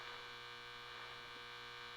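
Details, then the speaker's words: Nordmende Othello Z 320 radio on broadcast (AM) band with ferrite antenna on: no station, just static, low hum and a pulsing buzz, band switch miswired so broadcast is assigned to shortwave 1; no AM reception. "Let's try broadcast. Okay, broadcast is here. Nothing. I put the antenna, the ferret antenna. I activate it. Nothing. but static and a pulse."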